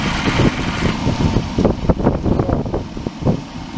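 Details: Dodge Caravan idling, AC on full, compressor clutch manually engaged by jumping a wire; clutch clicks in and out every few tenths of a second, AC blowing hot; compressor short cycling from low R134a refrigerant.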